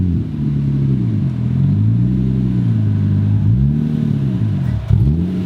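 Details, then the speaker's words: Nissan 240SX project car, first start-up after engine swap: engine runs but revs keep surging and sagging unevenly, never steady; ECU limp mode dumping fuel, throttle pedal barely responding. "it's going into limp mode and that's why it's just dumping fuel like crazy so you start the car up and when you push down on the pedal nothing happens"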